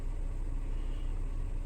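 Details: 2012 VW Passat 2.5L idling smoothly with a low, steady rumble and no misses or surging after throttle body replacement for code P0122, EPC light and limp mode, with codes cleared.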